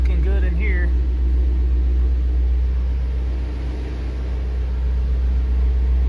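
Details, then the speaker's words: 2019 Shelby GT350 with 3,800 miles, newly fitted with a Whipple 3.0 supercharger and ARH long-tube catless headers, given light throttle blips with no boost. It gives a deep, very loud, even V8 rumble with no misses, hiss or rattles, and no leaks are seen, so the revving is normal. "I mean listen to this thing [Music] if it's insane those are just little baby blips"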